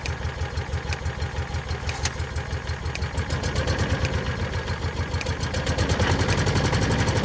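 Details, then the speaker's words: 2004 Kawasaki Mule 3010 after fuel pump and carburetor replacement and fuel line refit: even low chugging idle about three pulses a second, firming up after start with no stumbles; automatically doing what it's supposed to do, normal idle. "Guess what? It's automatically doing what it's supposed to do. We're good."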